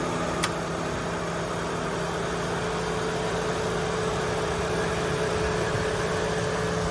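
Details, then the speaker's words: Chevy Malibu V6 ex-AT&T fleet car bought at Copart, hood open, oil shows no coolant intrusion: even steady idle with smooth low hum and faint constant tone, no knocks or misses; runs great. "so as you can see she runs great"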